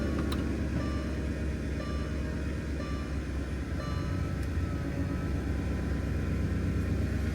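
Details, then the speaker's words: Porsche Cayenne 955 at idle: steady low droning hum runs without letup as the air suspension compressor keeps running nonstop; owner suspects a broken air suspension rather than the relay, cause not confirmed. "Definitely hear the air compressor. Probably won't hear it. You shouldn't let it run longer than a couple seconds without non-stop."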